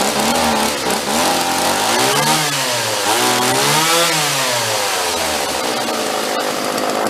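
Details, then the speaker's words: Vintage John Deere chainsaw found in the trash, throttle held steady: revs climb and sag repeatedly; surging, seems fuel-starved, owner suspects the carburetor needs a rebuild kit. "Yep. It's got a little bit of it's oscillating. It sounds like it's actually stalling for fuel a little bit. It'll rev up and kind of die, rev up and die. And I'm not letting off the throttle. I'm just staying constant on it."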